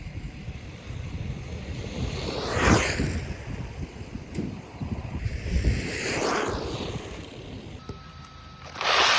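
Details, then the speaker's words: Brushless RC car on a test run just after a new motor was installed to cure a wobble: a high electric whine rising and falling as it zips past over wind, running freely and healthy. "Now that this car's fixed, it's working really well."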